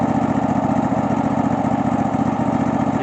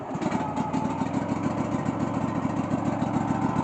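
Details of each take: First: Cub Cadet LX46 XT2 mower, Chinese 679 fuel-injected V-twin, running after bypassing faulty start/stop module that grounded the kill wire: even, steady chug with regular firing pulses, no misses or stumbles; normal running. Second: Cub Cadet LX46 XT2 rider mower, fuel-injected 679 V-twin: steady, fast starter churning with even compression pulses and no firing; crank no start, no spark; faulty start/stop key module grounds the ignition kill.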